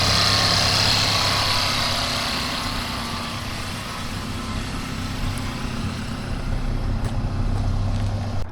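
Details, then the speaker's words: 2016 Mercedes GLC 300 idling after ignition lock housing swap, needs a new battery and has an engine light to scan; steady, even idle with a smooth low rumble and outdoor hiss, no knocks or misses, engine sounds healthy. "So this one was a W. Engine's good."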